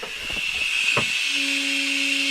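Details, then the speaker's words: Old pay loader's air brake system pressurized with shop air, engine off: a steady high-pitched hiss of escaping air with a faint tone joining later; one large leak plus smaller leaks, exact sources not pinned down. "okay so let's airp the system and look for leaks or listen for them we can tell mechanically a huge leak so we know that that's we know that's leaking"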